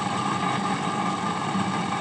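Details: HP 8901B Modulation Analyzer powered on after capacitor replacement, original fan still fitted: steady whirring hum with a thin tone near one kilohertz and a rough buzzy edge; worn, noisy cooling fan, later replaced.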